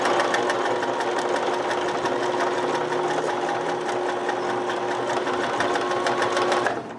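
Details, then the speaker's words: Sewing machine sewing several folded layers of the same fabric: fast, even needle clatter with a steady motor tone that slows slightly, working harder under added needle pressure; labored stitching under heavy load, ease off before a needle breaks. "Did you hear the change in sound? And also, you slow down, you adapt, you work with your machine."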